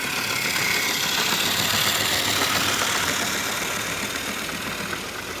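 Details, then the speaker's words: Hornby diesel model locomotive after its gears were repositioned, running past with coaches at moderate speed: a steady, even hiss and whirr with no knocks or catches, easing off as it passes. Its motor and gears run very smoothly. "but she runs very nicely, very smoothly, but she's got the most beautiful diesel sound you've ever heard."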